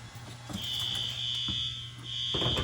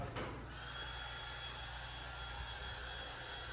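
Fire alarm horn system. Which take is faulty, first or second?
first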